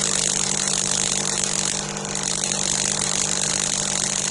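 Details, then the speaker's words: Delonghi EC270 coffee machine, first heat-up after disassembly: vibration pump's broken spring replaced with a stiffer one; loud steady electric buzz with constant hum, pump running but no water delivered, replacement spring too stiff for the pump. "Bon, c'est pas grave. Pour l'instant, il n'y a pas d'eau. On va attendre."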